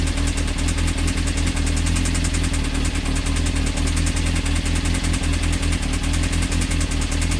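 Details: Honda CBR engine with fast, even knocking hammering through the engine note at every turn; a deep internal knock, possibly a rod bearing. Not confirmed; advised to stop running it and check the connecting rods for play on the crank.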